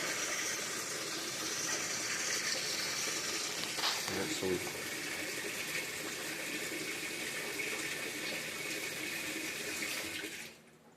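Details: Whirlpool top-load washer that won't spin, running in automatic diagnostic test mode. A steady, smooth hiss of water filling for about ten seconds, then it cuts off cleanly. Normal fill.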